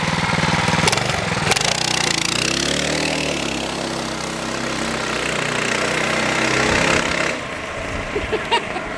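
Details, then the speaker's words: Go-kart with a stock 212 single-cylinder engine, governor just bypassed: climbs to a high, strained rev and holds there before cutting off, well past the usual governed speed; engine revving without governor. "you hear how much more balls it has yeah definitely it hit that you know that higher rpm election yeah and i mean that's still that's a stock 212"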